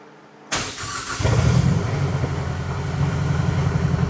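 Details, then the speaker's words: Mazdaspeed 6 engine reinstalled and started after sitting nine years, coolant filled: brief crank, then catches with a stumble and a shaky, uneven idle; rough start. "All right. Little hiccup there. She's trying."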